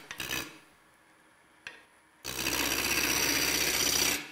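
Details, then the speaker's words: Sugar maple blank on a wood lathe being turned to round for a long-stem goblet: bursts of scraping gouge cut with gaps, changing to a long continuous rasp as the out-of-round blank nears round. "you hear how that changes as I'm getting closer almost there okay I want the maximum size that I can and then I can do some shaping of this"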